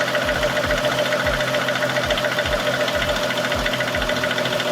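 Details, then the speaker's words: 4th-gen Lexus GS 350 petrol engine at idle, heard at the vacuum pump: a steady knocking about three or four a second from the brake vacuum pump, loudest when cold with the brakes pressed and covered by a TSB. "If your vacuum pump is knocking, this is what it's going to sound like."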